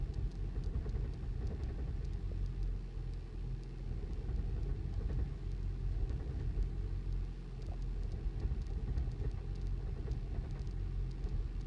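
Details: 2008 Toyota Prius at start-up: low, uneven rumbling idle surging every few seconds, described as awful knocking with the whole car shaking; check engine light came on.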